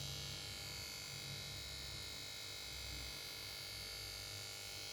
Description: makes just noise from power board.